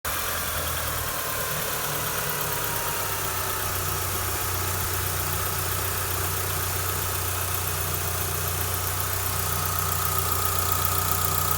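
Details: 2004 Mitsubishi Lancer Ralliart idling after repair of a strange engine sound: timing belts, timing belt pulleys, hydraulic tensioner and stripped idler pulley bolt replaced; smooth, steady, even hum with no ticking, whirring or slapping from the belt area; normal idle.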